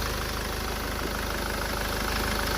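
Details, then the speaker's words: SsangYong Musso diesel after engine rebuild, running with the exhaust not yet tightened, after the failed number two injector was replaced: a steady, even idle with a smooth, regular beat and no misfire. "so she's running mint now it was number two injector that was knackered"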